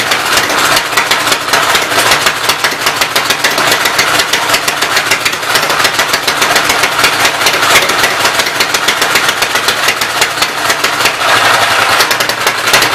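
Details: Loud, fast, even clatter over the running Westchester engine, valve cover off and oil spraying; owner suspects smoking because a block was knocked out from behind, oil in crankcase going up around it; top end needs rebuilding.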